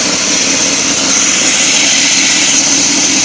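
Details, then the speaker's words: 2008 Chevy Silverado 2500 6.0: steady high hiss and whir over an even idle, no knocking; owner suspects the belt tensioner pulley bearing, tensioner pulley replaced. "you just shut up what a weird noise coming from my 11 a Chevy Silverado I'm sure you can hear me I think my idler pulley or my ditch the pulley it's going bad"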